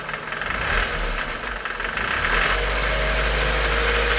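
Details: K11 Nissan Micra 1.3 CG13DE petrol engine, warm at operating temperature, ticking only at idle: light, fairly quick tick over the hum; freshly serviced with 10W40 oil at the correct level, tick goes away with a few revs; cause unclear.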